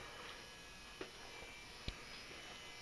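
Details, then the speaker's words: Old Hubbell 400 W metal halide lamp starting up and warming, arc brightening. A faint, steady mains buzz from the magnetic ballast holds even throughout, with no rattle or rising whine. Normal ballast hum. "that sound the buzzing sound you hear is the ballast resistance to Transformer buzzing away"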